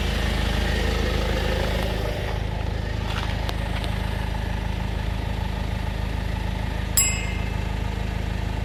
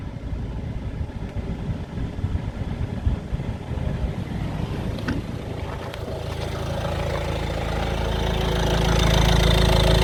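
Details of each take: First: 2016 Citroën C4 Grand Picasso after replacing auxiliary belt tensioner and belt: steady, even low idle hum with no rattle from the belt drive; the worsening loud rattle, which stopped with the belt off, is gone. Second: 2016 Citroën C4 Grand Picasso idling: loose, uneven rattle over the hum, growing louder over time; noise gone with the belt off, and fixed by replacing the auxiliary belt tensioner and belt.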